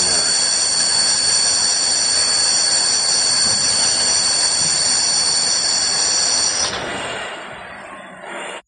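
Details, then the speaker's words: E-bike hub motor on sine wave controller with hall sensor wire disconnected: loud, steady high-pitched electromagnetic whine over the spinning motor, fading as it winds down; caused by the improperly connected hall sensor. "This is the sound of the electromagnetic. When there's a whole sensor area or the hole while it isn't properly connected, you'll hear this sound."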